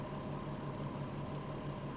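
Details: VW Touareg with a low oil pressure warning, bonnet open after about 25 km with two HC-oil-based flushes added: smooth even idle, steady quick firing pulses, no knocks, ticks or misses; running healthy.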